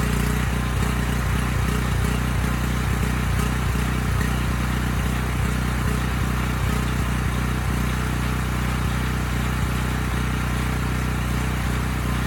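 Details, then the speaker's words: Briggs Vanguard single-cylinder on a Powermate 5000 W generator at no load: pulsing beat rising and falling about three times a second, governor hunting. Load or choke mostly cures it; adjustment had no effect; owner suspects a clogged pilot jet, unconfirmed. "putting it under load it goes away choking it mostly gets it to go away so i'm leaning towards just um cleaning the pilot jet again i think it's just starving for gas under no load"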